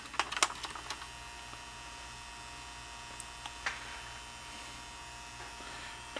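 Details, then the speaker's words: Emerson mini AM/FM cassette boombox in tape mode: only a low constant hum and handling clicks, no playback. The tape earlier played slow and draggy; the owner suspects cleaning or a belt, possibly a lost connection. The radio works. "now it was playing a while ago i don't know why i quit make sure i'm on tape i think i've lost my connection so i'm not real sure what that was"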